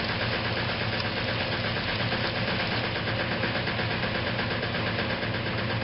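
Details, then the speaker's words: Restored 1956 Whirlpool Imperial washer in final spin: a heavy drone with an irregular knock about three times a second. The rear motor access plate was never refitted properly and rattles against the cabinet, not affecting operation. "and in case you're wondering why I'm not too worried about that knocking the sound that you hear that is actually the rear plate of the machine that says I never managed to get the motor access plate fitted back on properly from this machine"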